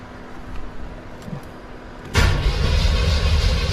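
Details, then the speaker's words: 1987 Monte Carlo SS with 383 stroker V8 on new EFI conversion, first start after initial setup: starter cranks in even turns about four a second without catching; tach showed RPM while cranking; crank no start, cause unconfirmed. "It's cranking. Yeah, it was showing RPM when I was cranking it."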